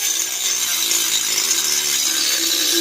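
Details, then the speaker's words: Dremel rotary tool trimming during a Nissan 370Z long-tube intake install: thin, steady high whine with cutting rasp, lower in pitch than expected; it isn't reaching full speed for an unknown reason. "And now I just gotta trim this again with my Dremel. Like I said, it's not working at full speed for some reason. Like, that's the fastest it's going"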